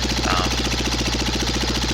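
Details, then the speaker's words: Cub Cadet Model 123 garden tractor engine run with muffler and gas tank removed, heard at top of engine by the open exhaust port: sharp steady knock about nine times a second, still present without muffler, smoke suggests oil burning; engine knock. "top of the engine still really loud right here next to the muffler but I think it's just loud because there you know the hole basically going into the end there"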